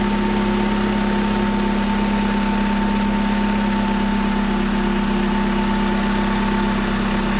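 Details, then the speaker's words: 2002 Hyundai Elantra idling right after a power steering pump replacement; the old pump had a bearing shimmy and was really loud. Smooth, even drone with no groan or whine; pump sounds healthy, though the fluid still looks like chocolate milk. "so there she sounds nice and quiet now i'll see if i can find a before video it was it was really loud"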